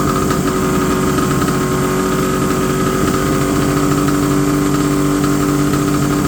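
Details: 1970 Polaris Mustang snowmobile two-stroke, first start after about 10 years sitting: fast, steady buzz holding a raised, even speed without settling; idle set too high, with a slight fuel seep at a T fitting off the fuel pump.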